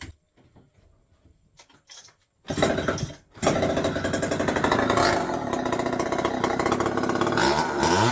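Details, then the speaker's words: Homelite XL 101 chainsaw started indoors in the shop after a tank vent repair for a fuel leak, a carburetor rebuild and tuning. It catches after a few pulls and settles into a steady, buzzy two-stroke run without stumbling; running fine. "go so there you go uh you can kind of see uh you know Kevin is up and running"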